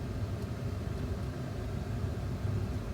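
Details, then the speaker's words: Heater/AC blower after cleaning contacts in the fan speed control switch, whose faulty #3 speed wasn't the resistor: steady fan rumble through third and fourth speeds, holds even when switch is wiggled; fixed, running normally. "and third speed straight third speed and four speed so cleaning that contacts helped now i think if i if i wiggle it that still works"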